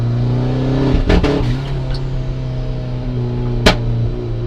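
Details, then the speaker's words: 1994 turbo Mazda Miata at half throttle: steady pull with deep even drone, then sudden sharp breaks at about one and four seconds; hard cut, leans out, typically 4000-6000 rpm. Plugs, wires, cam sensor replaced; owner suspects MAF-based spark cut. "That sounds like a hard cut to me."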